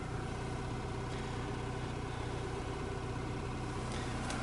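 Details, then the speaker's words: 2002 Opel Vectra C heater blower motor after rebuild, first speed: even low quiet hum with faint brush whir, likely brushes not yet bedded to the commutator; much quieter than the earlier growl, normal operation. "первое положение конечно потише стала asiana звук еще какой-то присутствует это скорее всего щетки не притерлись к этому коллектору да намного тише стал печка работать мне нравится"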